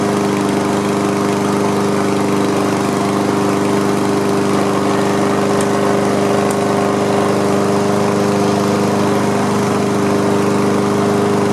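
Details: Honda HRM215 single-cylinder lawn mower after fixes to a clogged fuel line, the carburetor and the pull-rope assembly: steady, even drone at constant speed with no surging, misfires or rattles, running cleanly.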